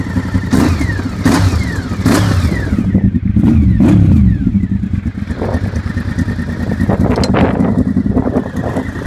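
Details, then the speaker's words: Honda VFR750 V4, after swapping the two coil packs suspected to be the wrong way round for a dead cylinder: crisp rev blips rise and fall cleanly over steady idle; now runs correctly. "Big Team VFR now runs correctly."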